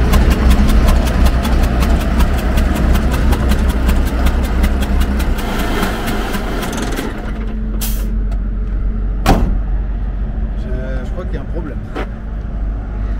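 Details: Magirus Deutz diesel camper truck restarted after a hard mountain climb: idles with a heavy, regular knock about 160 per minute before shutting off; smoke from the oil breather, one cylinder's injector failed.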